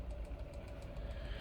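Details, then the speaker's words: Diesel heater with a new dosing pump controller, restarted after the glow plug phase with unburnt fuel left in it: quick, even ticking of the dosing pump at about seven per second over a steady fan rumble. The heater runs normally. "I can hear that pump going like a bastard"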